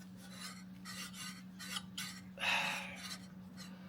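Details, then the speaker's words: Jaguar MKII during reassembly, new water pump turned by hand: repeated dry scraping rasps about twice a second with one louder scrape; something inside the pump is rubbing, owner blames poor quality and expects it to wear in. "I can hear it rubbing [ __ ] sake uh I don't think it's been used before"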